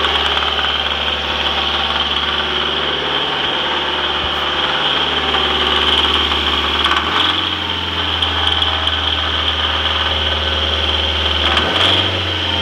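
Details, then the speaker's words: Rebuilt turbocharged Mazdaspeed Protege engine swapped into a Protege 5, running after rebuild: harsh metallic rattle swells as soon as throttle opens; valvetrain suspected, number one cylinder unplugged to check rod knock, cause unknown. "so I did here I don't know if you could hear that noise but as soon as I increase the throttle I heard this horrible rattling"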